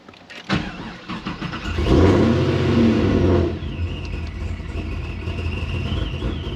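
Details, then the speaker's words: Boosted Pontiac GTO on speed density tuning, cold start: cranks and catches, then rough uneven lumpy idle before settling; stumble because the computer must first fail the mass airflow sensor. "you hear it stumble when we first start it that's because we are using speed density tuning"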